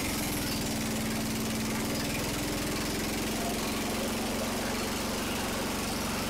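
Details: Restored Jacobsen Chief 800 small single-cylinder, running after new belt pulley fitted: steady, even chugging with no knocks or misses; engine running.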